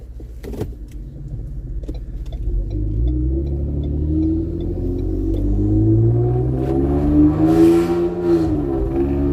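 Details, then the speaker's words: Turbocharged Ford Explorer, warmed up, tested under load for a suspected boost leak; blow-off valves vent to atmosphere. Steady rising roar with no stumble: normal boost under load. "all right so bullet is properly warmed up and i'm just gonna basically see um if the boost leak issues have been solved under load"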